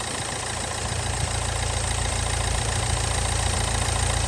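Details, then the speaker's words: Nissan Juke with very low mileage, battery nearly dead: a steady, even idle with a deep low drone and no knocks or ticks; the engine sounds healthy, just very loud. "the most important thing is the engine sounds like to the right right to be fair so"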